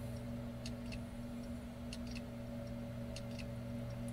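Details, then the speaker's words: Seagate 1.5 TB hard drive powered up after spindle motor replacement by platter swap: quiet spinning hum with scattered light ticks as heads calibrate and initialize; normal, drive then came ready at full capacity. "so we have a busy icon here you may hear the drive clicking it's also attempting to color to calibrate and initialize"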